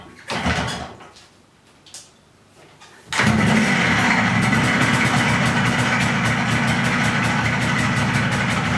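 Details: MZ ES 250/2 engine, hard regular knocking around four per second over a chuffing run, tractor-like; connecting rod bearing knock, confirmed on teardown and bearing replaced.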